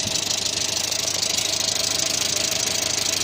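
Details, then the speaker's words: 1986 Renault Super 5 GTL 1.1 petrol after an oil change: a steady, even idle with a light regular tappety patter and no misses or knocks; owner finds the idle fairly stable despite light smoke near the starter. "Bon, elle tourne toujours bien. Un ralenti plutôt stable, je trouve."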